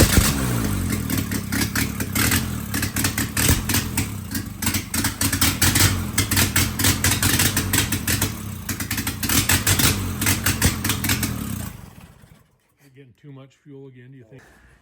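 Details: Willys F134 engine, started after sitting for years, fuel pressure regulator just fitted: fires and revs unevenly with a ragged, lumpy beat for about twelve seconds, then dies; running rich suspected, not confirmed.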